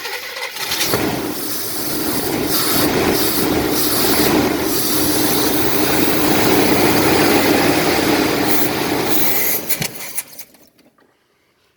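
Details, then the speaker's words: 1978 Chevrolet Malibu wagon after sitting 24 years, first start on dirty gas from a bucket: catches and runs about nine seconds with uneven lumpy beat, then dies, no mechanical knocking, smokes a little; rough running. "Doesn't run well, but it does run, and the motor doesn't make a lot of noise, so that's cool."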